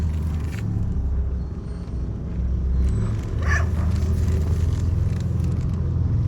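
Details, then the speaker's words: Mitsubishi Triton MN after fitting a new pair of front CV shafts, driving in low range while turning: steady low drivetrain rumble with none of the earlier click-click-click; CV joints now sound normal. "No more noise. Not a single clicking noise. I cannot believe it."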